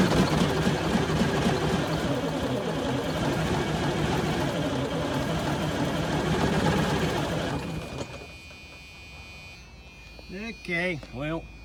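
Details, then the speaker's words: 1978 Chevy Bruin truck with 8V71 Detroit diesel, long unused, starting fluid used: heavy uneven chugging about eight seconds then dies away; fires but won't keep running, owner suspects starter looseness and weak batteries. "first attempt was somewhat unsuccessful does want to run but uh I'm going to have to try to keep that starter tightened up"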